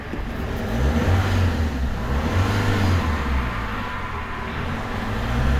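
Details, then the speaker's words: Peugeot 307 2.0 HDi, codes P1112, P0204, stalls while driving, before repair: under light throttle revs rise, sag and rise again, struggling to hold 2000 rpm; engine hunting. "légèrement déjà il a du mal à rester sur de mal à rester sur 2000 tour"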